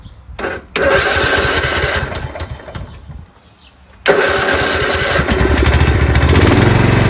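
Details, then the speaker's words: Craftsman LT2000 lawn tractor single-cylinder engine starts and runs fine, then after 10–20 seconds surges, dying away and picking back up unevenly; owner says it is gasping for fuel, suspects fuel starvation before repair. "And then after 10 or 15 seconds, it'll start surging, which means it's gasping for fuel. It needs fuel, but it's not getting it. So listen, runs fine and then surges."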